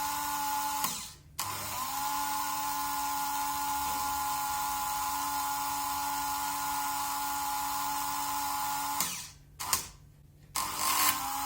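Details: Märklin 7186 turntable, previously sluggish clockwise and stalling, after repair with Märklin oil on cogs and bridge house refitted, run both directions: smooth steady motor hum, even pitch both ways, brief pauses; normal running.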